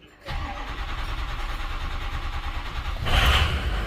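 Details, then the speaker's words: 2005 Ford F-350 6.0 Powerstroke diesel after IPR valve replacement, with batteries nearly dead: brief cranking, then it catches with a deep rumble, flares up and settles to a steady diesel idle. Normal start. "there we go look at that boom we started the batteries were just about to crap out"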